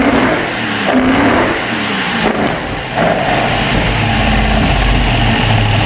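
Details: Opel Manta hatchback with Ascona front end, freshly started after about 20 years sitting, camera at the front; chugs unevenly with stumbles and dips in the idle, a little missy: misfire, cause unconfirmed, points and distributor to be checked.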